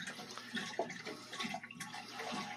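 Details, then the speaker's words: Navien NCB-240E combi boiler after replacing the water pressure sensor for a 352 error: irregular watery gurgling and splashing as it seems to auto-purge and drain water; water gurgling during purge. "and you may buy you may be able to hear it's it's sort of doing an auto Purge I think so I can hear water draining out"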